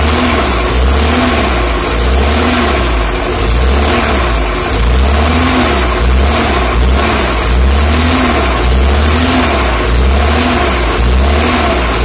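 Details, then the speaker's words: UAZ engine started cold after seizing with no oil: rough, uneven revving about once a second with heavy low rumble and knocking under load, spun crankshaft bearings; earlier grinding gone, thought due to cold contraction. "Вкладыши провернулись. И был конкретный скрежет, но его сейчас нету. Видимо, двигатель холодный и все там сжалось на несколько микрон."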